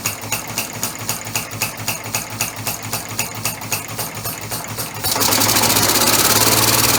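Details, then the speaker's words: Homebuilt 3-cylinder orbital compressed-air engine with single-shaft push-pull valve, no balance wheel yet: sharp even slaps about four per second, then louder steady rush; unpressurized slippers slapping, expected to stop under pressure. "it's a little bit noisy because of the silver is lapping yet but once it gets pressure put to it then that'll stop that slapping noise and it shouldn't be just too noisy then either"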